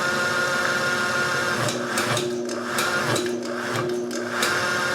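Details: Resealed Land Rover 300Tdi power steering pump on a bench rig, turned to full block: pump whine drags down and bogs the drive motor as pressure builds, briefly shown on gauge; pump builds full pressure properly.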